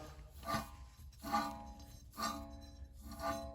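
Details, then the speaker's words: 2005 Lexus ES330 front wheel bearing turned by hand during suspension repair: gritty grinding like sand inside with faint metallic ring; worn bearing needing replacement. "You hear that grinding? Sounds like sand in there. So I'm glad I got this bearing so we can replace those as well."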